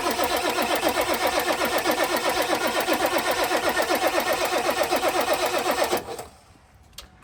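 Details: 1997 Ford Powerstroke diesel truck, not started for about two years: steady starter churn about four beats a second for six seconds, then it stops; slow start after long storage.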